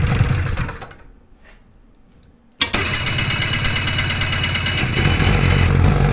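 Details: Two-stroke hovercraft engine with fuel supply unhooked cranks through a quiet gap, then catches into a rough, uneven burble; fuel dripping out, engine flooding and running rough.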